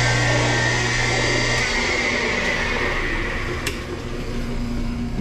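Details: Loud, harsh motor roar with steady hum and rough grinding edge from an ADS Water Saver L dishwasher pump motor; bearing suspected failing, motor being replaced (gasket found ripped, new motor set for low voltage).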